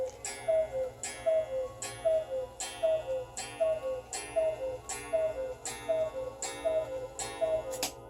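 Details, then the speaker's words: German grandfather clock, 9-tubular-bell Urgo mechanism circa 1980, being test-run after repair while hung on a peg-board wall: crisp, even tick-tock about 78 beats a minute, steady spacing, no skips, healthy. "We want to make sure that when the clock gets put back into the case, it doesn't stop. So this one will probably be tested for about 2 weeks."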